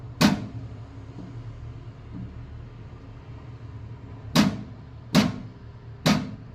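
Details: Microtek inverter: steady low hum broken by four sharp clunks, one alone then three about a second apart; irregular abnormal clunking of unknown cause.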